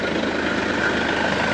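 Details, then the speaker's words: Mercedes B 1.8 CDI diesel idling cold (oil about 17°C) during a gearbox oil change: dense gritty rattling clatter over the engine note from a very noisy dual-mass flywheel; the engine also shakes slightly. "A ogólnie tutaj w tym pojeździe strasznie hałasuje koło dwumasowe to będzie słychać"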